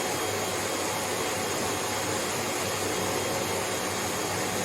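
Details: Hoover HL500PT vacuum, ex-display listed as not working: suction motor works but red light blinks; steady high rushing motor note with no roller beating; brush roll not driven due to faulty safety microswitch.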